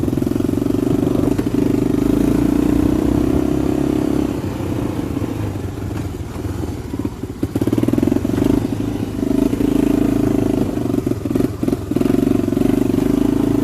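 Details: 1985 Honda FourTrax TRX250 single-cylinder ATV, kick-started, high compression: catches and revs with crisp throttle response and steady firing; engine running normally, though it tends to idle down and stall if left idling.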